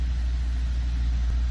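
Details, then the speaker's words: 2014 Ford Focus ST 2.0L EcoBoost, warmed up and idling, runs with an even, steady rumble and no recorded misfires; it was diagnosed for cold-start misfires. "I mean, there's no recorded misfires now that the engine"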